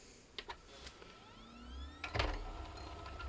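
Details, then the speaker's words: Original Xbox Crystal Edition after repair of stuck disc tray, final test with lid back on: short rising motor whir then soft clunk as tray seats; tray mechanism smooth and healthy. "Oh, that sounds so amazing."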